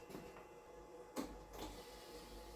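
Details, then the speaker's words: Datsun 280ZX, unserviced for 20 years and stored dry, key on with the engine not running: short faint whirring bursts as the fuel pump primes normally, needing two or three primes before the first start. "Fuel pump's pumping, I can hear it."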